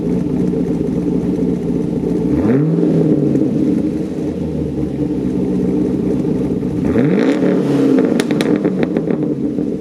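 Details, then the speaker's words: 2012 Chevy Caprice LS V8 after new cam, lifters, pushrods, valves, springs, timing chain and tune, with new exhaust: deep choppy loping idle with two sharp throttle blips dropping back cleanly; healthy big-cam sound. "drive is perfect starts up every time i haven't had any problems there you can definitely hear the cam and here's what it sounds like i'll go ahead and show you guys that"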